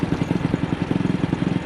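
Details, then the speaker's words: AJS single-cylinder motorcycle on the road, after the carburettor slide was cleaned for a sticking throttle; plug looked fine. Uneven thumping with occasional dropped firing pulses at very slight throttle opening, persisting wider; misfire, cause unknown. "Now it's developed this misfire. It only seems to be happening"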